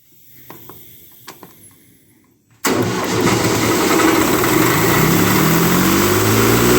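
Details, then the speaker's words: CompAir diesel mobile compressor, radiator neck broken: it fires instantly and climbs to a strong, steady pull with an even beat and no misses; normal running under load, though it quits when dropping to idle after air pressure builds. "up yeah it runs really good so I would see we're slowly gaining on this thing"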